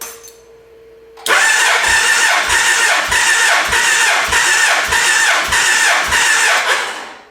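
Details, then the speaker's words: Gen 1 Suzuki Hayabusa four-cylinder after cam chain replacement, compression test on charger-assisted cranking: steady, evenly spaced beats about twice a second, none weak; readings about 194 psi, up roughly 20 psi from the earlier 172–175. "So 20 pounds of cranking compression. This thing's gonna feel a bunch sportier at low RPMs, that's for sure."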